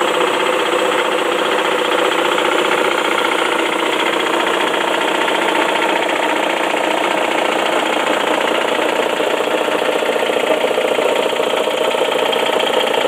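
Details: 2004 Saab 9-5 Arc wagon, automatic, 114k miles, Mobil 1 serviced: fast steady knocking at idle, three to four a second, dies down with higher rpm and with HVAC off; seems to come from oil pan area, owner suspects loose rod/bearing, unconfirmed.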